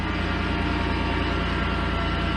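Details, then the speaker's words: 2006 Chevy Impala with reassembled engine, check engine light on: even steady low idle drone with smooth pulse, no knocks, ticks or hesitation; running well, not overheating, no oil leaks. "all right so we do got a check engine light on but we're running so so bad getting really good was able to take that Street everything's doing do a good we're not overheat we're not leaking any oil"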